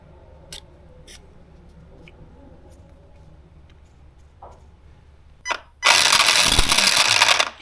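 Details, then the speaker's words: Arrma Gorgon RC truck, after a hard nose hit at a skatepark: light ticks, then a harsh rattling grind as the motor spins with the other gears removed. The pinion is skipping on the spur gear because the gear mesh is loose. "it's still making the noise with all of those other gears out and I finally figured out why I really hope this comes across on camera I don't know if it will it's the dang gear mesh oh man that's what it is this whole time"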